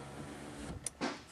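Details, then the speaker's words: Dodge Caravan power window (same design as Town & Country and Voyager): a faint motor whirr with a dry scrape and squeak only as the glass goes down with the door shut, none with the door open. Glass rubbing, scrape marks visible on glass. "the window is making noise only when it goes down you can hear it kind of scrapes and squeaks but it doesn't do it if the door's open"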